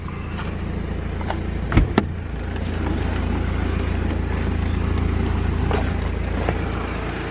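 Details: Steady diesel idle on a BMW 3 Series right after a major service: 5 litres of oil added and the fuel filter primed and bled. Even rhythm, no misses or knocks, a couple of handling clicks; engine runs clean.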